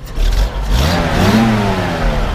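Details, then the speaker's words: 1966 Toyota FJ40, F 6-cylinder engine, cold day, light throttle blips: revs rise and fall cleanly over a steady low drone, runs smooth with no knocks and little smoke. "so we'll go ahead and fire it up here for you so you can hear it run you know it actually runs pretty smooth"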